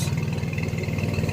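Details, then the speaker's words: 1994 Chevy S10 Blazer 4x4, 4.3 engine, 190,000 miles: quick rev with even, steady exhaust pulse, no skips or stumbles; running healthy, no more miss, before a 4-hour drive home; ABS light still needs fixing. "everything else seems to be good she's running healthy sounding good driving good all the lights work"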